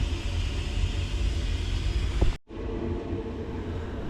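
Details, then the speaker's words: Boiler with E125 poor-circulation and E131 faults, running on hot water: steady low rumble with gurgling roughness from the main heat exchanger; suspected blockage, plate heat exchanger also faulty, pump doubted. "Just doesn't sound healthy on the main heat exchanger. I think there's a blockage in it or something along them lines."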